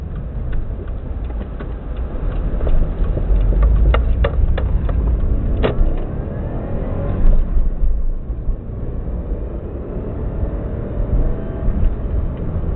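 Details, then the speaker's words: 2002-03 Subaru WRX EJ205, warmed up, uneven lumpy idle with irregular stumbles and shaky beat; cylinder 3 misfire, no ticking, spark plug ruled out; supposedly a cracked valve. "Doesn't tick or anything, just that's misfiring. When I first got it, it was misfiring on cylinder 3."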